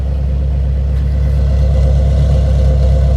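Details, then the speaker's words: 2005 Subaru Impreza WRX STI, about 45,000 miles (44,956), modified, idling: smooth even low boxer rumble with no ticking, knocking or piston slap; very quiet, everything sounds as it should. "Idling. Everything sounds as it should. No funny noises."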